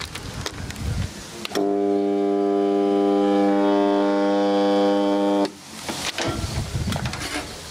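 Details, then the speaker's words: Vintage Crompton Parkinson motor after cleaning, on bench test: loud, steady, buzzy hum for about four seconds with no pitch change; no burning smell or heat, drawing 12 A versus rated 2.15 A; partially shorted run winding suspected. "That hum worries me. Well, I don't smell any burning, so that almost sounds like it's a partial short, or it's partially shorter with a hum like that."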